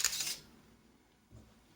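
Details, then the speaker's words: Zenit KM Plus camera with no film loaded, shutter pressed once in single-shot mode: one sharp snap with a brief motor whirr, then quiet and a faint click. Normal single shutter release; continuous mode would keep firing. "it will shut just one time yes obviously if it will keep press and thepress yeah it will ruin all the filing"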